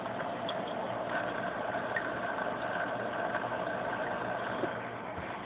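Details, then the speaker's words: Fluval AquaClear 70 aquarium filter on low flow after five to ten minutes running: quiet, steady low hum with a faint higher tone, only an occasional barely noticeable rattle, running normally. "you can hear the hum a little bit so see I expected as the signals of some coding from running and probably getting quieter I mean once a while I get a little bit of a rattle but barely noticeable and it goes away so I'm pretty pleased"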